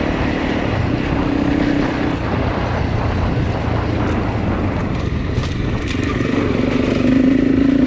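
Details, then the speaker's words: Honda CRF300 Rally riding after top-end rebuild with new cam chain, tensioner and followers; former hot, low-rev overrun noise no longer heard and it pulls well. Even single-cylinder thrum with wind noise, no tapping or knocking. "Finished the rebuild or top end and done a few lanes this morning and I think it's going much better. I can't hear the noise. It seems to pull really well at the moment, so couple of conclusions from what I've done."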